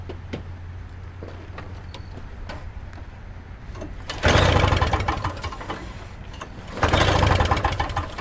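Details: Toro Snow Commander two-stroke snow thrower, no fuel line connected, fires in two short rough bursts that die within a second; owner suspects fuel mixed with too much oil.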